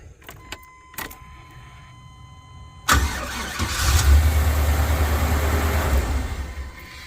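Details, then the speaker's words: 2000 Chevy Express van, small-block V8, after distributor reinstall during an oil-pressure-sender leak repair; starter cranks evenly for several seconds but it never fires, distributor pickup left unplugged so no ignition signal. "we hadn't hooked up the distributor pickup where it's coming from"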